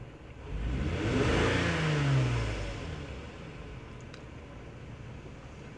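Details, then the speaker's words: 2003 Lexus GS300 V6 revved up, with an uneven, stumbling, hesitating note; scan-tool misfire counts point to cylinder 2, with the cause suspected as coil pack, spark plug, ignition wire, injector or intake runner leak, not confirmed. "so as I rev the engine up I do feel that hesitation that misfire"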